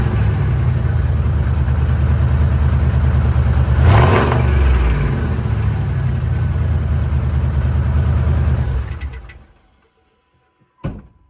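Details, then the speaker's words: Chevy 8.1 Vortec V8 truck, heavily used: heavy low rumble with rough uneven clatter as it revs before shutting off; owner suspects a broken flexplate, unconfirmed. "Can you name that noise. I'm not sure what it is. I think it might be a broken flex plate."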